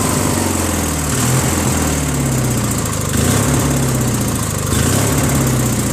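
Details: Briggs & Stratton 16HP opposed twin, a free trash find with the valve unstuck and a carb added, on a Murray tractor: hunts and surges every second or two. Better on choke, so the owner suspects lean running from the carb's missing Welsh plug.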